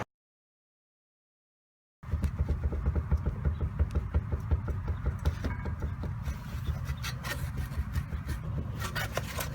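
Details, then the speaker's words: 2002 Mitsubishi Lancer, front wheel rocked by hand before tie rod replacement: repeated light clunks about three a second from a significantly wobbling, worn outer tie rod end. "there was a significant wobble coming from my tie rod end and you can hear it how shell will clip right here"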